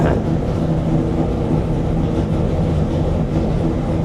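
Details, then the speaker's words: Chrysler 440 Six Pack V8 with triple carburettors, previously too rich at full throttle, now fixed: steady deep idle, even and settled with no stumbling or hunting; air-fuel ratio reads in the green and it idles cleanly. "it was on the super you know these garbage used to run super rich before on Full Throttle not on idle now it's the opposite now we fixed the top Full Throttle and now we got the idle and we finally got it going"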